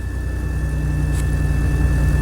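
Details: 1999 Pontiac Grand Prix just after in-trunk fuel pump replacement with a used junkyard pump, no fuel leaks: steady even low idle with no stumble, miss or surging; engine running healthy.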